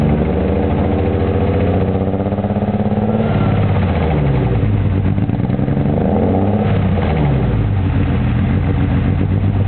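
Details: BMW M3: lumpy, uneven idle with a stumbling beat and blips that don't smooth out, an engine misfire.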